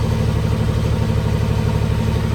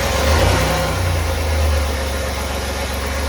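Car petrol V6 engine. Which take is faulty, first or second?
second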